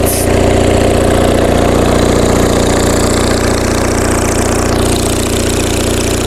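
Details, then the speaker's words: Onan MDJE two-cylinder diesel generator under heavy load, up to about 6,000 W: rough thump around 220 beats a minute with crackly, popping exhaust note; frequency droop judged not bad, engine considered a winner. "Exhaust note is getting pretty crackly. Let's bounce it around a little bit."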